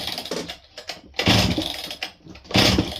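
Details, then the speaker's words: Old Husqvarna 268 chainsaw, bought as-is, first start attempt: uneven scraping rasps with each starter rope pull, unhealthy cranking noise. "Something ain't sounding real healthy while we're cranking it."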